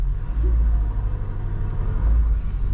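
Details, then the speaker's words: 1975 Lada 1500 (VAZ 2103), under 70,000 km, started cold after six months standing, creeping in reverse: steady low even rumble, no knocks or misses, engine purring like a cat; normal running. "Slyšíte ten motor přede jako kočka. Po půl roce stání a v kose, jo, v kose."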